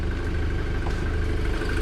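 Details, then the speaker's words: Mk6 VW Golf R with resonator, hood open: steady idle with fast, even metallic ticking and clatter from the top end beyond normal direct-injection tick; owner suspects cam chain, parts ordered, unconfirmed. "has some uh i don't know if you can hear that but it has like some metal clay so that's probably the cam chain"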